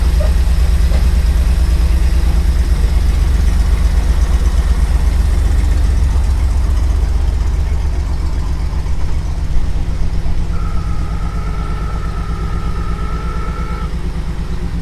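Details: Jeep FC170 after 50 years sitting, with a 1975 F-150 straight-six carburetor, new radiator and leaky old water pump, idling in gear: steady, even low rumble, no knocks or misses, a brief faint tone midway; running healthy.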